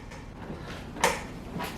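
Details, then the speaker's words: GTracing gaming chair, backrest tilted and rocked in recline: a few drawn-out creaky squeaks about half a second each, also from under the seat edge; the tilt mechanism is squeaking. "and this is where you can really hear some of the noise so you can hear some squeaking if i come back up from the recline position you can also hear squeaking underneath at the edge of the bottom of the seat"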